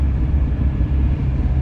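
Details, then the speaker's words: GAZel van driving after unloading about 800 kg: deep, steady low drumming under the running rumble with nothing sharp on top; driver suspects a failed wheel hub bearing, unconfirmed. "Походу ступичный подшипник полетел к чертям."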